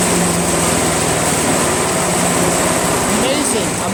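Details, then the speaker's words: Craftsman / Yard Machines chipper shredder flathead engine after head removal and valve seat cleanup with 320-grit sandpaper: starts on one pull, settling into a steady, fast, even buzz with no misses or knocking; fuel leak from a suspected pinhole noted afterward. "one full one pull and it starts up"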